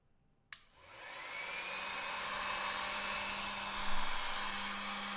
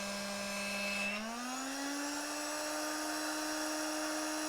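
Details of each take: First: 12 V air pump on a barrel-jack adapter whose power supply is suspected of being dangerous: a click, then a steady, even hum and airy hiss with no stumble or rattle; it runs fine. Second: 12 V air pump on its supplied power adapter, outlet blocked: steady motor hum jumps higher in pitch and holds as supply voltage rises from about 47 V to 68 V, falling back when released. Motor overspeed from supply voltage rise.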